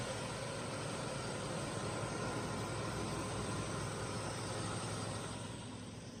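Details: 1985 Ford F-150 4x4 XL, 4.9 L inline six, manual, cold start after sitting a couple of months, smog pump disconnected: even, low rumbling idle with steady beat, no knocks or misses; a little smoke.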